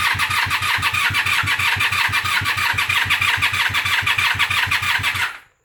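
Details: 1997 Honda Magna VF750C: strong, even cranking at about three beats a second with no firing despite new plugs, wires and battery, cleaned and bench-synced carbs, fresh fuel, a clean air filter and starter fluid. Cranks but won't start.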